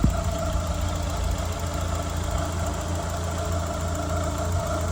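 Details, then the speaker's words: 1993 Mazda Miata, over 200,000 miles, sat about a year as a no-crank no-start; steady even low hum with no knocks or misses; normal idle. "think I need to start it off. Wow, that sounds really good now, doesn't it?"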